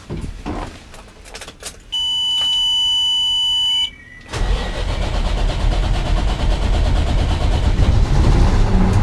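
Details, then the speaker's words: 2002 Mack truck with an E-Tec diesel engine; the driver complains of long crank times and low power. Key-on chime, then a long stretch of uneven starter cranking before it catches: extended crank time, hard start confirmed. Cause not yet determined; codes to be scanned. "It's definitely extended crank time for an E-Tec engine. So we definitely verified the driver's complaint."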